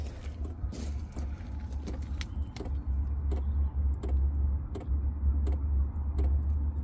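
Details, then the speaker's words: Chinese diesel heater, two years in a small van, during its start-up program with the van engine running to support the battery: sharp, regular ticks about twice a second over a low hum. This is the fuel pump actuating normally. "right that ticking noise you can hear there that is now the diesel pump actuating"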